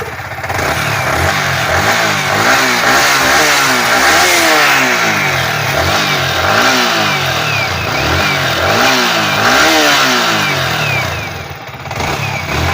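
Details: Yamaha R15 V3 after replacing the shorted stator coil: revs up and settles cleanly, smooth and crisp with no humming or bearing-like noise; charging reads 13.74 V at idle, battery slightly low.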